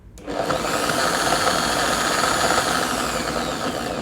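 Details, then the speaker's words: Electric drill from Orion toolset under test on mains power, run from slow speed: steady high motor whine, slightly rough but no grinding or rattle; bearing judged good enough, normal running. "Kesimpulannya untuk bornya ini meskipun suaranya agak sedikit kasar ya, tapi dia sudah cukup bagus untuk bearingnya."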